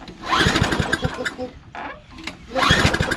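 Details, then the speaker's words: Old Toro Recycler Personal Pace push mower, Tecumseh engine, just after new softer primer bulb fitted: two bursts of rapid pull-start chuffing that never catch; hard starting, owner thinks he may have flooded it. "Hello. I think I might have flooded it."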